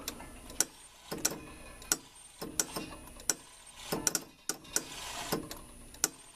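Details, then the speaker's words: Rock-Ola 445 jukebox in operate mode. Uneven clicking about every half second with stalls as the selector carriage moves a little, then hangs up short of home; caused by a dirty, bent homing wiper contact. "So if you're right here and you put it in operate, it should go all the way around and stop at that spot. You can see it'll go a little bit and then hang up."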